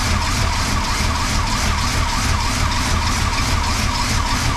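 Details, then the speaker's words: 1977 Chrysler Newport 400 V8, cold start below freezing after sitting about two months, weak battery: uneven, loping idle about three pulses a second, not settling; rough idle, owner suspects plugs, wires or spark control computer. "there we go and it's running a little rough let it idle for a little bit"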